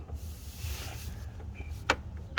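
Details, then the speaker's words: K-Tuned adjustable shifter, older brass-ball version, loose with lots of play and torn boot: two sharp metallic clacks as the linkage is worked by hand from underneath; clacking source unclear. "It seems okay, but there is a lot of play. You can hear it clicking and clacking. So I don't know where the clacking's coming from."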